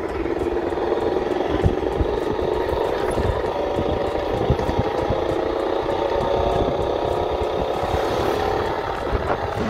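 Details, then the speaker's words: Yamaha XMAX 125 coasting downhill with engine off: steady thin whistle under wind rush that rises with speed, present even engine-off. "oui en effet le sifflement est là même avec le moteur éteint et j'ai d'ailleurs l'impression que ça se situe à ce niveau le problème"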